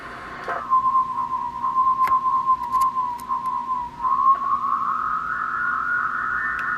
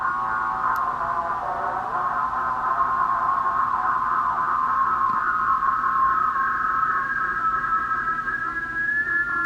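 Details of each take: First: Uniden MB8719 SSB CB transmit offset adjustment, monitored on a second SSB radio: steady high whistle sliding in pitch as the capacitor is tuned past zero beat, transmitter off frequency. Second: Uniden MB8719 SSB CB upper sideband transmit offset, initially far off and then adjusted, monitored on a second SSB radio: steady tone slides and settles into a slow, even beat at zero beat, now on frequency.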